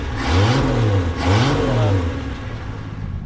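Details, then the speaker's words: Salvage-yard Snow Cat after repairs, warming up: two blips with pitch rising and falling smoothly, then steady even idle, no knocks; runs well, slightly rich, probably from warming up. "that sounds good it's running a hair rich but it's probably cuz it's warming up but that sounds really good yeah not loud but I like the sound"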